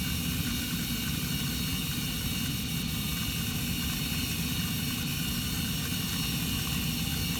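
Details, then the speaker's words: Carrier gas furnace after igniter replacement and flame sensor cleaning: steady, even rush of blower air with a low rumble from the induced draft and heat exchanger, no rattles or cycling; normal furnace operation. "it's on and blowing I can hear it just this whole induced draft and the whole end of the heat exchanger"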